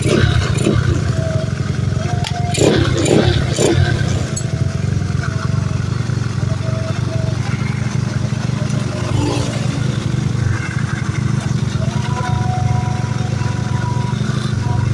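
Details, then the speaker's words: Carbureted Honda Beat scooter that came in with lost ignition, started after coil-area ignition repair: the single-cylinder starts immediately and putters evenly at about four beats a second without stumbling. Ignition restored. "Oke motor langsung hidup ya di sini."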